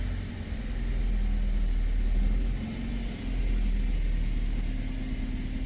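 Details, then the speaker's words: BMW 1 Series cold start after valve stem seal replacement: deep, even rumble settling after a brief dip, no knocking or tapping; later drive showed no errors, knock or noise, owner thinks it's fixed. "I think it's fixed. We are driving the 1 series. We've done 700 meters. Everything is reset. No errors, no knock, no sound,"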